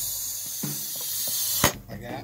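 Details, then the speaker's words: Mini chopper minibike tire change, spare inner tube with a hole used to stretch tire beads: thin steady hiss of escaping air cutting off amid handling noise; air leaking from the punctured tube. "This tube has a hole in it, but I think if I don't know, I think it'll help. I don't know. You can hear it leaking."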